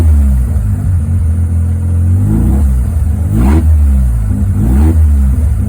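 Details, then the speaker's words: 13B rotary engine in Willys Jeep with FiTech EFI; burbling idle then two throttle blips that hang before picking up, stumbles on tip-in and takeoff; owner plans accelerator pump tuning; tip-in stumble from lean mixture on acceleration. "hey guys I'm out here working on the rotary I started noticing the other day I have a little stumble like my garage shoes little stumble right when I tip in above a [Music]"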